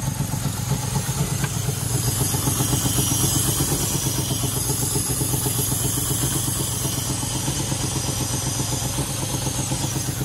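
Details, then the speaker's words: 1997 Land Rover Discovery 1 V8 at idle in neutral after new spark plug wires: even, steady idle with no stumble or skip, healthier than before, no usual exhaust smoke; an exhaust leak remains. "i mean i have the exhaust leak but other than that it sounds a tad healthier there's no smoke coming out of the exhaust like it usually does wow kind of sounds like a normal motor"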